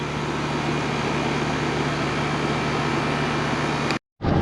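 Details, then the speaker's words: 20-year-old Rheem 2.5-ton condenser on a 1.5-ton air handler, first spring startup at 64 °F after contactor replacement, capacitor and pressures good: even steady whir and low hum, no knocks, rattles or squeal; normal running. "So yeah, it's a little screwed up system. Sounds good for 20 years old."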